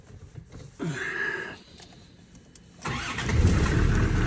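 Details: Diesel after a fuel filter change: brief starter whirr, a short gap, then it catches and settles into a low clatter; starts cleanly, though the owner says the idle has always been lumpy.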